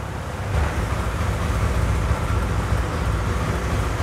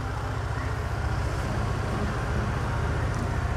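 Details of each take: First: Honda Air Blade 110 scooter, fuel pump pressure tested good; low muffled drone that stays flat at full throttle, revs won't climb, chokes and stalls when throttle is opened hard; engine bogging. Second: Honda Air Blade 110 scooter, idle lowered from too high to 1700 rpm via adjustment screw: low even putter, steady, no hunting or surging; normal idle.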